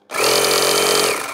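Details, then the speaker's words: Small 12 V cigarette-lighter-plug compressor powered from a 12 V transformer: brief even motor buzz with steady pitch, no knocks or rattles; blows air, runs fine. "so let's see if this works well the compressor works does does blow out air"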